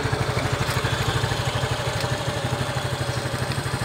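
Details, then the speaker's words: Yamaha Mio i 125 (M3) after rocker arm replacement, test 3: even idle pulse about three beats a second, no ticking or clatter on top; valve train quiet and stock. "Wala na si Kalansing. Test number 3. Sobra tahimik na ngayon ang andar. Stock na"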